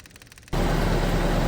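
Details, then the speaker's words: CAT 304 / CAT 259D diesel restarted after a full service with new fuel filters: quiet, then it catches and holds a steady, even run with no stumble; normal running. Air in the lines can make starting hard after a filter change. "all right guys got it fired back up um you might have issues starting it after you replace the fuel filters"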